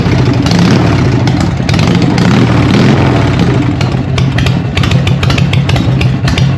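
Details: Harley Evo V-twin chopper, first start after an eight-month rebuild, choke on and in neutral: loud, lumpy, loping idle with an even uneven-fire beat and no knocks or rattles. Normal healthy idle, praised as sounding good but very loud.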